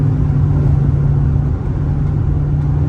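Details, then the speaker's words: Straight-piped V8 Chrysler 300, after fitting muffler/resonators, at highway cruise with windows up: steady low rumble, no cabin drone, earlier noise gone; normal highway cruise without exhaust drone. "It's gone. The noise I was hearing before is gone. And that's all I wanted."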